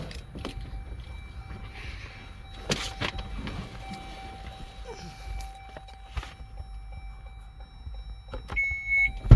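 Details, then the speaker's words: Dodge/Chrysler Pacifica power liftgate, previously not working (code B1975-00), after module flash update: steady low motor drone while the gate travels, chime near the end, no grinding or straining; opens normally, fixed. "there it is y'all hear that it opens guys we fixed it The Flash update fixed this car"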